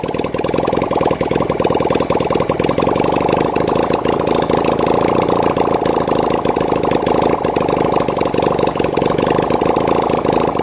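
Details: 1971 Honda CD175 K3 twin under restoration, running on a little fuel put in the carburetor, oil reaching the head: quick, even popping beat, clean and steady, no clatter or misfire; normal idle and revving.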